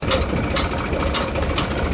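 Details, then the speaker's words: Shaktiman rotavator after wall seal and bearing replacement and new blades, tractor at steady idle: runs smoothly without grinding; light tick about twice a second, attributed to one blade bolt still to be fitted. "મિત્રો આ રીતે આપણું cutter હવે બહુ ready થઈ ગયું છે કોઈ પણ જાતનો અવાજ નથી"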